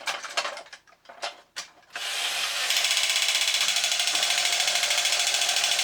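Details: A few handling clicks, then an even whirring gear train ticking about three times a second with no squeal from a 1983 Horikawa Cosmic Fighter tin robot, reassembled after repair; runs smoothly.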